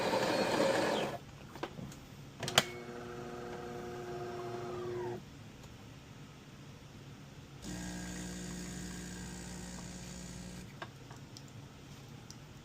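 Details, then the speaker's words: DeLonghi espresso machine (European 220 V unit on a transformer to 120 V), customer complained of loud pump and low coffee level; full-cup long coffee, steady even vibratory pump buzz in two pulls with a short gap, good crema and pressure. Pump sounds like new. "The pumps sounds really good. Very good pump. Like brand new."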